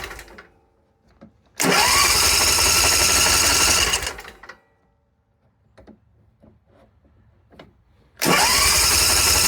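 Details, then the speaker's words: Simplicity zero-turn with a Briggs & Stratton 27 hp engine, after fuel pump and line replacement and sitting a couple of days: two crank bursts of two to three seconds each without catching. More choke and throttle made it start; the fuel now holds and it seems improved. "As you heard, it did crank quite a bit. Um, what I found was I needed to choke it more and give it a more throttle and then it kicked right over."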